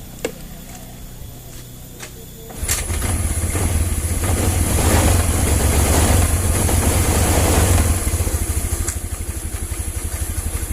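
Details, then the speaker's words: Old first-model Honda Vario 110 scooter with the old regulator/rectifier (kiprok) refitted: engine catches after a quiet spell but runs with an uneven, stumbling beat. The faulty regulator/rectifier causes the sputtering and stalling when the turn signals or horn are used. "Nanti dia menyala tapi berbet kayak tadi sih, dia nyala tapi berbet."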